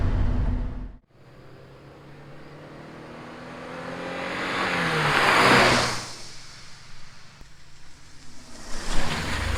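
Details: 1988 Porsche 944 on test drive after head gasket replacement and top-end reseal, compression to spec: engine pulls cleanly as revs climb and ease, steady even note, no knocks, misses or ticks; normal under load.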